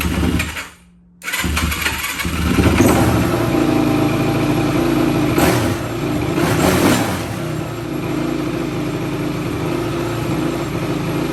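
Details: 2004 Yamaha YFZ450 with zero compression on the gauge, brake cleaner sprayed into the intake: brief silence, then it catches and runs unevenly, never settling into a clean idle; hard, rough start, cause unconfirmed.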